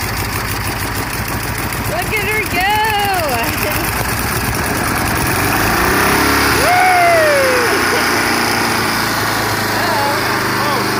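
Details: 1300cc air-cooled VW Beetle engine, stored since 1993 (27 years), oil primed and float bowl filled; first start gives a fast, steady putter holding an even idle before running out of fuel; runs after long storage.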